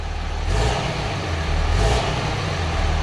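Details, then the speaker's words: 2005 Dodge Ram 3500 Cummins diesel after fitting a 60-gallon Titan fuel tank, fuel pump running and air suspected in the lines: steady, even rumble with a mild swell in revs, no misfire, knock or surging; normal running. "s oh I hear the pump running so that's good guessing there's some air in the lines oh yeah should come out of it perfect"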